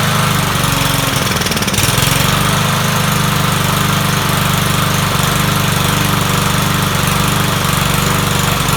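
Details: Troy-Bilt 21-inch self-propelled mower salvaged from the dump, owner thinks it has a Kohler engine: the single-cylinder engine runs with an uneven, hunting beat that never settles. It runs rough, and the carburetor definitely needs cleaning.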